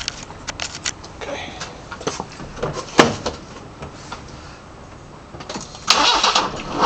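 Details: BMW 318i M10 engine with newly fitted sidedraft individual throttle bodies, first startup: brief crank, catches and settles into a crisp, slightly lumpy idle with sharp intake hiss; normal startup and idle, though a slight whistle was noticed afterwards.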